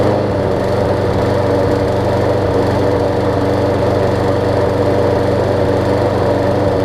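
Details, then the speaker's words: John Deere JA62 push mower, about 15 years old, Briggs OHV engine, just after carb clean for gummed carb from sitting: runs steadily with a slight uneven hunt in its beat, still surging a little. "i'm just gonna let it run for a little while see if it smooths out if it smooths out i'm gonna change the oil and up and let it sit overnight"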